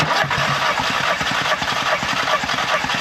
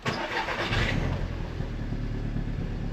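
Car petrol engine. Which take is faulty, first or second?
second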